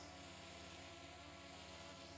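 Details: DJI Mini 2 drone hovering on a breezy day during a battery flight-time test, early in flight: steady high motor whine with slight surging as rotors hold position against wind gusts; normal hover.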